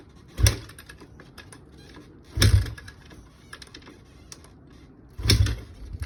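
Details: Kawasaki KX250F no-start with fuel, air and spark confirmed OK: three heavy kick-start thumps a few seconds apart, each dying away without firing. The engine cranks but never catches.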